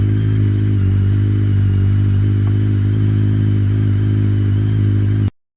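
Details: BMW K1200S engine running steadily with a light, uneven rattle of about three or four ticks a second over the idle; cause of the rattle not yet found.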